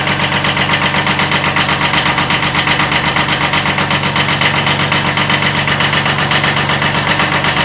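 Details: 1979 Kubota B7100 diesel: at idle, a hard, regular knock about four times a second over the diesel clatter. Owner describes it as a slight rod knock.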